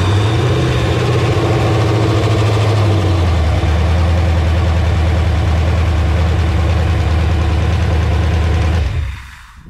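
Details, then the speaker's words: LQ4 6.0 V8 on a run stand, freshly resealed with a new cam, running on a Holley Terminator X Max: steady, even idle with a deep, low burble, no knocks or misses, then a clean shutoff; healthy, not yet tuned. "That's very cool. It is running under its own power here."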